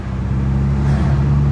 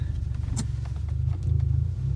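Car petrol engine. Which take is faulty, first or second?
second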